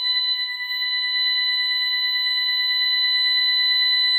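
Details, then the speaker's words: Ademco 6128 alarm keypad on a test bench, police/burglary zone activated after the keypad stuttered: continuous shrill high tone holding steady without a break; burglary zone alarm sounding. "And now you can hear that the alarm is active."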